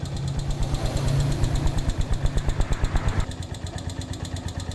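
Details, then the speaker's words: Honda Megapro Primus motorcycle engine idling with a sharp, rough clatter of about three ticks a second from the cylinder head, like very loose valves; valve train fault suspected, from excessive valve clearance and worn camshaft. "sekilas kalau kita dengar ini bunyi ketukan seperti suara klep yang sangat kendor ya ini bisa diduga ini kerusakan atau ketidaknormalan ini ada di bagian silinder head"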